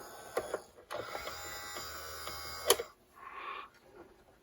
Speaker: Wow. Oil makes a big difference, doesn't it? Hear the motor speeding up?